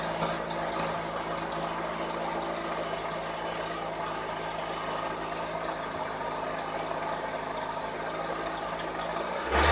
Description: 2003 Toyota Avensis 1.8 T3-X , knocking and rattling noise from engine.